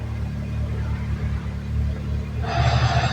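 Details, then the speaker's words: Suzuki Fun that won't drive: the low idle hum turns into a harsh rough grind as the clutch is released in first gear, and the car doesn't move. "vamos a poner primera y si lo largo el auto nada no se mueve nada"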